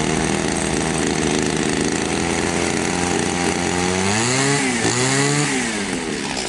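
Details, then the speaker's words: Echo 2655 trimmer after cleaning clogged muffler screen and exhaust port (previously no power): steady two-stroke buzz, revs up and drops back cleanly twice with crisp response and full power; normal running. "все работает отлично"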